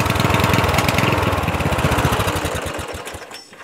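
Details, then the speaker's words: Murray 14.5hp 42" widebody LT lawn tractor, single cylinder putters unevenly at low idle then keeps firing, dieseling after key-off; weak spark persists because previous owner miswired solenoid ground, magneto not grounded properly, chilly day. "it almost feels like when you have it turned off right there's still a slight spark that keeps the engine running but not a strong spark"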